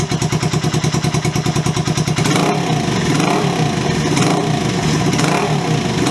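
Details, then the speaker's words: Honda CB125S fitted with a new Wemoto aftermarket exhaust, starting at idle and revved: sharp, loud popping bark and harsh raspy rise, far too loud, almost like it's unbaffled. "I'll be honest, I don't like it, and I don't say that lightly. It's just too loud. It's almost like it's unbaffled."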